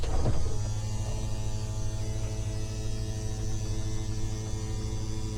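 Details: Toy-hauler RV bedroom slide-out being extended at its first spring use after storage: steady, even low motor hum with no catches or grinding; normal slide-out motor operation.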